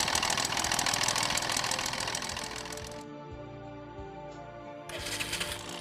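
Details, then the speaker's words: Kawasaki motorcycle engine: fast, steady metallic knocking rising with engine rpm, typical crankshaft big end noise; causes are lack of lubrication, worn big end bearing, damaged cage or crank pin. "This is a typical crankshaft big end noise. It increases with an increase in engine RPM. The causes are lack of lubrication, worn out crankshaft big end bearing, damaged cage and crank pin."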